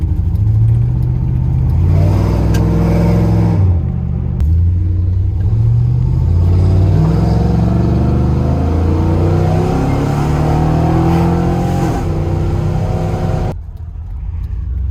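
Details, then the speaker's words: Chevrolet Silverado after exhaust manifold gasket replacement, with a tiny leak at one hole still to be tacked and the EGR still to fix: strong V8 revs with only intake and exhaust roar, no manifold screaming. Normal engine revving. "Sounds so damn good now. Just nice and quiet. All you hear is motor noise or the exhaust from the back."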